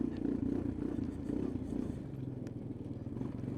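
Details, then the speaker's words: Customer's 2000 Honda Foreman 450 ES ATV at idle in extremely cold weather, after its engine was removed and reinstalled for no-shift problems. Steady, even single-cylinder thump with no knocks or clatter. Normal running. "So, yeah, she goes good."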